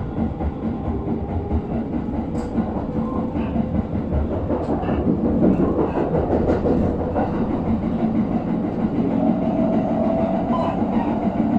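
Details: JR 701 series train on the Joban Line, recorded January 2021, growing louder on entering an elevated section: a steady rail roar with a repeating thump once per wheel turn over the clickety-clack, from a wheel flat.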